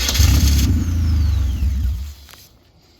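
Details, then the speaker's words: Race car being winterized in a Montana trailer at about 20–25 degrees; starter cranks about four turns a second while a wire is wiggled and held, engine barely catches then fades. Intermittent no-start, cause not pinned down. "Go wiggle your wire. Yeah, I got it. Yep. You gotta hold it."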